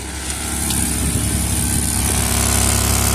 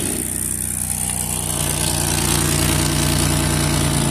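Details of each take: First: Minivan idling just after exhaust repair: smooth, even idle with a steady low drone and no puffing or ticking at the joints; the repaired joint is not leaking and the exhaust is healthy. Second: Idle on a van just after refitting the exhaust: a loud, busy idle with an even puffing beat of about four a second over the engine hum. It is first thought quiet, then found still leaking, pointing to an exhaust leak.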